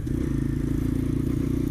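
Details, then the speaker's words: X-PRO 125cc Chinese sportbike, riding after a screw was adjusted to improve running: fast, even engine pulsing with a buzzy rattle over it and heavy vibration; the noise seemed to come from the front, chain tension fine, source not pinned down. "it's running better now that I changed the screw a little bit more now let's try it again seems like it's a little happier now it's very vibrating it's vibrates a lot I keep hearing weird sounds"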